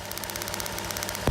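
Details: 1JZ-swapped FC RX7 drift car that keeps limping, engine running: sharp, rapid crackling snaps, about fifteen a second. Bad plug wires, and two of the three coils are arcing to ground through the paint.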